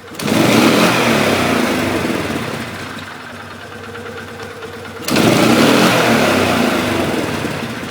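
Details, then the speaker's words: 2011 Polaris Sportsman 500 HO after air intake/airbox modification, lid back on, quick full-throttle burst: revs up strongly and higher, falls back smoothly, no hesitation like before; intake seals with no air leaks. "Actually seemed like it revved up a bit better there. It does actually feel like it has a different RPM range. Like it does feel like it revved up a little bit higher there. So actually it doesn't hesitate like it used to before."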